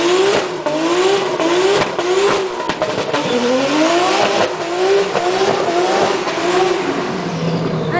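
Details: Supra (n/a-t) being tested for a misfire problem the day before a race: repeated revs rising and falling with an uneven, stumbling edge. It sounds like a misfire, cause not identified.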